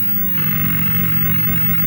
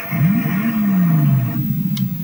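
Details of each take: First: a louder hissing noise from the speaker. No actual sound. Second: Double Dragon JAMMA arcade board that had no sound, after replacing an LS138 chip: music returns, and a clean swooping tone followed by short bleeps (coin-up sound) shows the digital sound effects working correctly.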